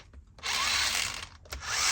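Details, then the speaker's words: Element Enduro SE crawler with Radiolink Cool 9030 brushed ESC and 15-tooth pinion on a short-shaft motor, no grease; harsh high gear whine with gritty rasp in short throttle bursts from dry pinion-to-spur mesh. "is not gonna sound super great. A little I probably should have put a little bit of grease on that."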